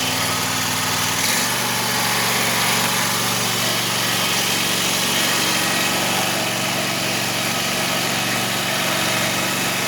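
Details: 2021 Wright Stander ZK mower, 800 hours, after hydro pulley replacement: running with blades engaged, faint constant whir over engine; spindles tight, balance checked, better but still noisier than expected, cause not found.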